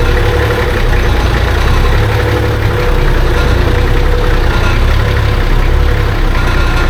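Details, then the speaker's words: Nissan Patrol, fresh TD42 "silver top" diesel swap, first start after long sitting; heavy, loud idle with a dull thumping in the rumble, not quite a knock; owner suspects a dry water pump. "there is a bit of like a I wouldn't call it Knocking but it's kind of like a thumping sound coming from the motor I don't really know what it is but I think it could be the water pump because obviously everything's been sitting for so long it's probably dry in there"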